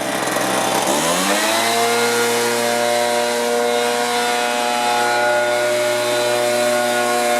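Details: Stihl BR450 two-stroke blower after carb cleaning, new fuel tank vent, coil gap set, low and high mixture adjusted: revs climb quickly to a clean, steady high-pitched scream with no surging or stumbling; normal running.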